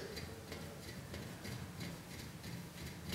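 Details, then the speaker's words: Open-bearing bicycle hub, axle turned by finger after the adjustment cone was loosened slightly. Faint rough ticking about three times a second: the cone is still slightly overtightened. "okay this means this it's still slightly too uh too tight so we'll adjust it a little bit more again"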